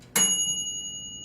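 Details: Black+Decker TO3250XSB toaster oven: a single clear bell strike fading over a second as the timer dial ends, the normal timer ding.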